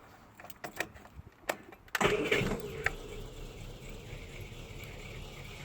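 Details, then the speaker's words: 1979 Austin Allegro being recommissioned, after chasing electrical faults, measuring the gap and reassembling: a few clicks, a short crank, then it catches at once and settles into a steady idle; cranks and starts normally. "let's give it a go not expect you to start first turn the key but you never know"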